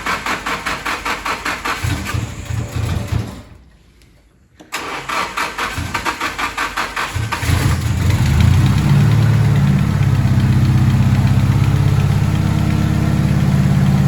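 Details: First start of an SR20DET just fitted with a Garrett G25-660 turbo and new drain, coolant and feed lines, after priming: even cranking pulses, a pause, more cranking, then it catches and settles into a steady, smooth idle with no knocks.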